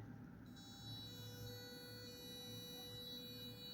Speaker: এই সাউন্ডটা হলো মূলত আমরা যে সিগন্যালটা ইউজ করছি, মূলত আরডুইনোতে যে অ্যানালগ রাইট ফাংশন আমরা ইউজ করি, এটা মূলত 1 কিলোহার্টজের একটা সিগন্যাল। এতে 1 কিলোহার্টজ আসলে আমাদের অডিবল রেঞ্জের মধ্যে।